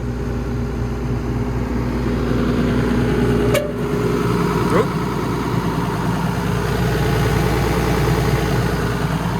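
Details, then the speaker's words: Solar excavator diesel: even, steady idle with smooth low beat and no knocks or misses apart from one brief clank; runs sweet, normal idle. "Does sound well, doesn't it?"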